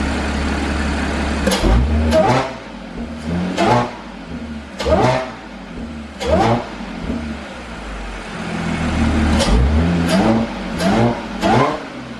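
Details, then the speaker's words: Audi S5 with Borla exhaust, resonator delete and intake, warmed up after a loud cold start; light revs with loud blips rising and falling cleanly and a faint supercharger whine climbing with revs, normal revving. "But let me go ahead and give you some little revs, see if you can hear the whine on it."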